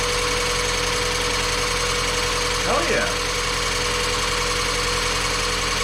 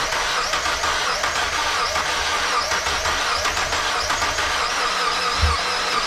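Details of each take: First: Mazda Miata after replacement of timing belt, water pump, pulleys, serpentine belts and valve seals, briefly run and not fully hot, coolant still needing bleeding: an even, steady idle with no knocks, misses or squeals; runs perfect. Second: Mazda Miata, first start after valve seals, timing belt, pulleys, water pump and serpentine belts were replaced: catches with a harsh hissing rush and one dull thump, possibly a knock; owner feared a dead cylinder or bent rod, belt intact, cause unclear.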